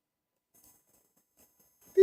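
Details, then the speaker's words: Newly installed aftermarket gauges, one wired directly into the cigarette lighter: after near silence a steady mid-pitched beep comes on and holds without wavering; unexplained constant beep from the gauge. "Beep, that would get hella annoying as I'm driving. But it looks cool."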